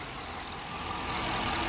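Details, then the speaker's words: Police-patrol Dodge Charger HEMI after the lifter/rocker tick repair with updated Mopar parts (tick had been blamed on long patrol idling and cheap parts): smooth, even idle with steady hum and no ticking or tapping; normal idle. "Y'all hear that? That is a beautiful sound. We fixed it."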